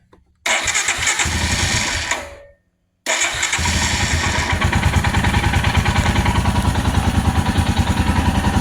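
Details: 2022 Royal Enfield Himalayan single, just after fuel pump replacement for intermittent no-start from pump priming issue, primed several times: catches on second try, settles into steady even single-cylinder thump at idle; running healthy, check engine light still on.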